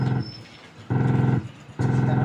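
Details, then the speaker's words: LED TV audio output distorted: rough, buzzy crackling growl in short bursts from a test speaker box with one probe grounded; speakers test fine on continuity, audio IC section to be repaired. "और box की एक probe हम ground कर देंगे, और यहाँ देख सकते हैं बॉक्स से भी हमारी घरघराहट सी आवाज़ आ रही है,"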